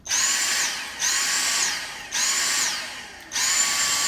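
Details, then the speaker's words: Vacuum cleaner, clog warning deliberately faked: motor whine surges up and sags about once a second, signalling the bin needs emptying and the filter needs cleaning. "Now, if the machine is clogged up, if there's too much on there or there's too much dust in here, it will do this. I'm going to fake it, but what it will do, it sounds like this."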